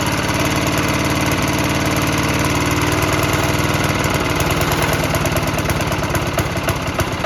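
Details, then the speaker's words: 1968 Sears Suburban 12 diesel garden tractor, first start attempt after exhaust and intake plumbing, full throttle, little fuel, air in fuel line; rough uneven chugging about three beats a second, loosening as it struggles and about to die; stalls after starting. "well that's promising it's not quite there yet but I didn't put a lot of fuel in this"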